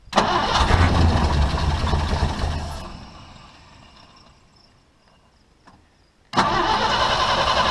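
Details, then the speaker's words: Long-parked old International truck with the old fuel pump reinstalled, primed carburetor: catches and runs a few seconds, then fades out and stalls and cranks again; lines stay empty, the pump pushes no gas, and fuel starvation persists. "Looks like nothing to me. Okay, the lines are empty. Maybe prime it again. And the end result is no change. The old pump doesn't push any gas out either."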